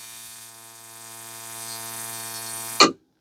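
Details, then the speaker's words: Reproduction Simson/MZ ignition coil tested on Bosch tester at 10–12 mm spark gap: even buzzy crackle of rapid sparks without skipping, ending in sharp snap; strong, full spark, misses only from 13 mm, far better than original GDR coil. "10, 11, 12, immer noch knallehart und satt."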